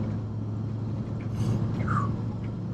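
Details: 1996 Ford F250 service truck, well used, cruising: a loud, deep, steady engine rumble fills the cab from an exhaust leak, with some hissing also heard.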